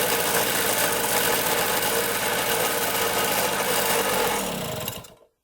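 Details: 1974 Honda Elsinore MR50 50cc two-stroke with good compression, no air leak and getting fuel; the air screw is being adjusted. It runs unevenly, then the revs sag and it dies. Fuel is leaking from the carb bottom; the owner suspects the carburetor.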